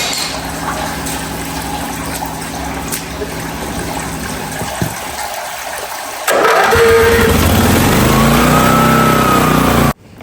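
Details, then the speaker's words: Hotsy steam pressure washer after igniter contact repair: engine runs steady, then louder with pitch sagging as the trigger opens; normal bog-down as the pump builds pressure. "you can kind of hear the motor bogging down so I I knew it was building pressure it seemed like it was working"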